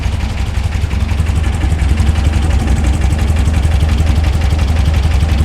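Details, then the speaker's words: 1964/1967 VW Beetle flat-four on a newly installed dual EMPI carb kit, right after cranking up the idle screw one full turn, before syncing: low, even burble at steady idle, no misses or knocks; engine quiet, sounds good. "There it is. Right off the bat, sounds good. That engine's quiet too."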